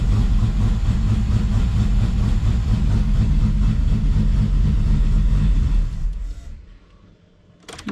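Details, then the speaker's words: VR6 engine, final assembly, cold start with temporary intake piping removed: slightly uneven lumpy idle with low rumble, then shut off; rough cold idle, running rich. "now little rough on the coldness but"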